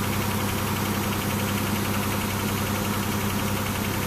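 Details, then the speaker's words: Engine at idle just after a head gasket rebuild, with smoke out the back: lumpy, uneven idle with a loose knocking beat about four per second and heavy shaking; misfiring rough. "Still sounds a little shaky, but there is no oh, yep, there's a little bit coming out the back. I don't know if that's just the shit it's burning off or what, but the engine's shaking pretty bad."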